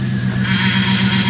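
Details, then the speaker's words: Dodge Ram 1500 after power steering pump replacement (snapped pulley shaft), engine running, wheel turned lock to lock: steady high whine rising over engine; air in freshly refilled system suspected, fluid low, being bled. "oh I hear that pump okay turn the back and forth all the way this way"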